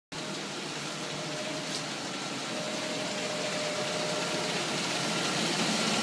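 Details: Rebuilt 5.7L engine running after rebuild: smooth, even note climbing steadily as revs build, no knocking or tapping; rod knock gone, healthy running.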